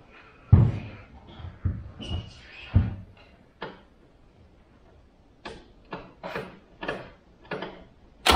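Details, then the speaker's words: Wolseley 18/85 BMC 1800 'Landcrab' pushrod engine, sat for years, with fuel dribbled in; irregular cranking with a few sputtering catches that never settle, so it fires briefly then dies, maybe running only on the added fuel. "yeah once that started rests a bit but we did have at least some life out of it maybe it ran off a little bit of fuel I got in there"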